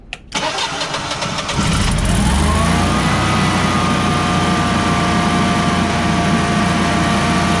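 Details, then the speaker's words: Refurbished Generac Guardian 16kW standby generator on a temporary fuel hose: brief crank, clean catch, then a steady, even drone with a faint constant tone; normal start and run. "at least it runs so here here's what it sounds like normally"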